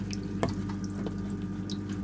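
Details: Aquarium sump leaking through its seam, before the Flex Tape repair: a steady trickle of running water with scattered drips over a low background hum.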